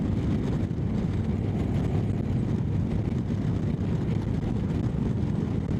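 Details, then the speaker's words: Motorcycle cruising at about 100 after failed exhaust gasket replaced: steady even drone with wind roar, no ticking or puffing; exhaust sealed, no different to other pipes, no more heat at right leg. "Well, cruising speed's good. It's really no different to the other pipes, and I can already feel the lack of heat around my right leg."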